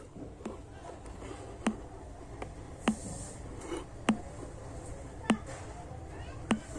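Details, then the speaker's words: Motorola MT-160DSB soundbar playing USB, subwoofer output works but soundbar silent: no music, only sharp pops about once per second over quiet hiss; failed amplifier IC. "So, இதுதான் பட்டு பட்டுன்னு sound கேட்டிருக்கு. மத்தபடி வேற எதுவும் sound இதுல வரல."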